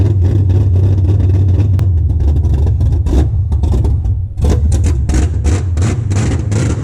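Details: LS V8 swapped into a BMW E36 at its first run after the build, headers fitted, exhaust not yet built and coolant not yet filled: deep loud rumble with repeated throttle blips, a brief dip, then it pulls back up; runs normally.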